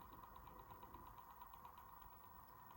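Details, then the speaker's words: Dapol class 59 model locomotive crawling at speed step 6 of 128: steady whirring drone with faint regular ticking, much louder than a Bachmann 47 at same step; noisy drivetrain. "I mean, that's noisy. Is it? It is. I don't know if it's coming across on the camera, but it definitely, they are very noisy."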